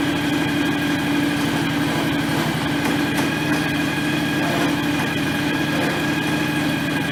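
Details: John Deere X738 lawn tractor idling after 50-hour service refilling the shared front axle/transmission/hydraulic/steering oil: smooth even idle, constant light engine note, no whine from the drive; runs fine, steering a little stiff.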